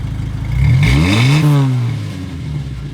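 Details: 2.5L Jeep Wrangler TJ warmed to operating temperature after a cold start, new Thrush welded muffler replacing the cracked one: blips up and settles smoothly with a deep even exhaust note, no rattle or leak; exhaust healthy.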